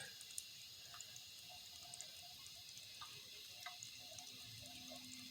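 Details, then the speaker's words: Toilet tank with worn flapper valve leaking water: faint drips and trickling, then a low steady hum as the low float lets the tank slowly refill; flapper needs replacing. "but at the very least he's gonna have to have a new uh flapper valve because it's letting water leak out and in just a minute you'll probably hear it start humming"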